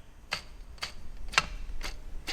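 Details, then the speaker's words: Tensioner pulley on an LS6 engine going into a 2000 Chevy Corvette, heard while refitting the AC compressor bracket: sharp, evenly spaced clicks about twice a second from a shot bearing; replacement ordered. "you can hear the bearing shot in that this one's brand new"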